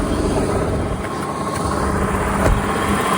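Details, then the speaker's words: 1990 BMW 535i E34 inline-six, first start after sitting about two years, fuel changed and pump primed; even, steady idle with a smooth low hum, no stumbles, knocks or ticks; normal idle. "wow she's smooth this is after 2 years"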